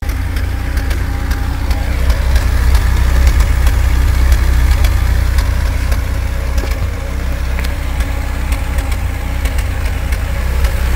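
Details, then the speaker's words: Mercedes W124 M102 with KE-Jetronic, on reserve then refueled: petrol engine idles roughly with an uneven, stumbling beat, a terrible misfire caused by a faulty fuel pump giving low fuel pressure, not plugs or fuel distributor. "a terrible misfire and many of you can say the spark plugs or I know what it can be maybe the fuel distributor no the truth is that it's about the fuel pump I have a faulty fuel pump"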